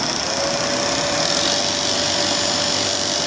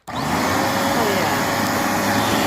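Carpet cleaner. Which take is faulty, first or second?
first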